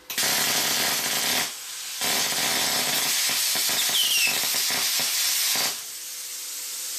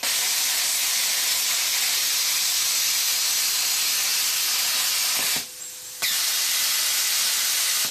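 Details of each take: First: Plasma cutter's harsh hissing arc breaking into choppy stuttering bursts and cutting out, sputtering from low supply voltage; a lead was also found loose, and new consumables didn't help. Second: New plasma cutter set at 55 A, after earlier sputtering traced to low supply voltage: steady, even cutting hiss about five seconds, a short break, then it resumes smoothly with no sputtering. Normal cut.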